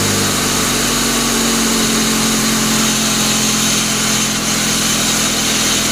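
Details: 1999 Pontiac Grand Am, rebuilt GM LD9 2.4 Quad 4, first start-up after rebuild: loud constant harsh grinding and hiss over idle, no rhythm, from the failing AC compressor clutch on the serpentine belt.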